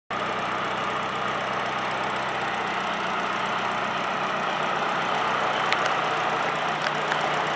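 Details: Engine at idle with a light, uneven ticking over the hum; injectors suspected, cause not confirmed.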